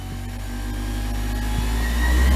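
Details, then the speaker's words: Diamond disc grinder after repair (bolts and screws Loctited), on a table, Variac wound up from about 70 volts: motor hum climbs in pitch and loudness to way too high speed; overspeed from too high setting. "that's way too high, see? See it"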